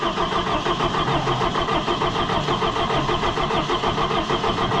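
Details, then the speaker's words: Allis Chalmers 175 diesel tractor, cold, just reassembled: steady starter cranking without catching. It won't fire because air got into the fuel system while it was open, a recurring problem. Starter and ring gear are confirmed good. "Okay. It's gonna take some cranking. There's air in it. Air in it and it's cold. I should give it more fuel."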